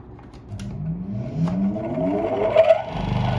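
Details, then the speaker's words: Old Soviet bench grinder electric motor, restored with rewired capacitor, first run after long storage: whir rises as it spins up, then a rough pulsing hum; old Soviet grinding wheel badly out of true, to be replaced. "Круг ужасно бьёт. Надо менять тоже."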